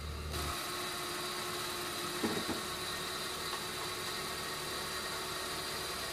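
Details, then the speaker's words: Suzuki Karimun kotak, carburetor recently disassembled, headlights on, before the carb idle speed and idle-AC screws were adjusted: steady, fast idle around 1200 rpm that holds even with no drop or hunting; idle speed set too high. "Oke Bro ini lampu masih menyala kemudian lampu masih Salin ya Bro kemudian stasioner masih besar yang k1200"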